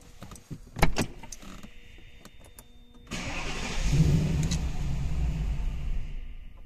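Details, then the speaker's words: Mercedes W221 with M273 V8, stalls on starting, problem becoming more frequent: starter whirs, engine catches briefly then sags and dies within seconds, third attempt in a row; stays running only when given throttle. "Завожу машину уже третий раз и глохнет."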